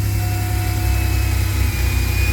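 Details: 2000 Chevy Astro (crank-no-start, died while driving, crankshaft position sensor code), cold start right after sensor replacement: deep, steady idle with even pulse, no misses or knocks; runs smoothly.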